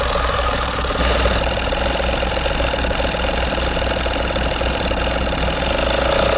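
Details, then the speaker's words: Old tyre pump inflating a Nissan Qashqai tyre: loud, steady, low, slow chugging drone that sounds strained. Pump labouring and seemingly about to give up. "Just pumping the tyre up on the Qashqai, and the old tyre pump's about to, oh god, about to give up I think."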